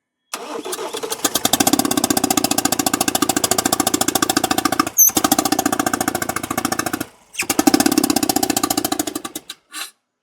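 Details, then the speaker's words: Ford Transit Custom diesel (smoking, hard starting, low power) on startup: rough rhythmic puffing chuff, first suspected as valve issue; compression test found blown head gasket between cylinders 2 and 3. "So, without a doubt, um there's a puffing noise, there's a valve issue, and now we are going to take the glow plugs out and do a compression test"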